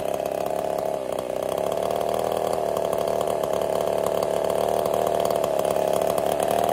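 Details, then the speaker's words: Ported Husqvarna 55 chainsaw cutting: steady scream whose pitch sags and never climbs clean; lost over 1,000 RPM in about half a tank, new coil didn't help, couldn't get through two cookies. "I couldn't even get through two cookies I've lost over a th000 RPM since this started having issues in we'll say about a half a tank of gas the coil did not correct the problem so it's actually running pretty horrible right now"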